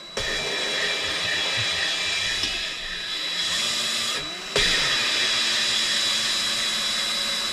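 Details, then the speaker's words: 1965 Chevy Corvair flood-damaged engine rebuild, valve lapping with drill and grinding compound: steady drill whir with even, smooth grind and no chatter or catching; valve lapped in, seat in good shape with no burrs. "Okay, now as you're spinning, you'll hear it start to grind and then it'll get smooth again. And then that's when you just push forward, get a little bit more grinding compound on it."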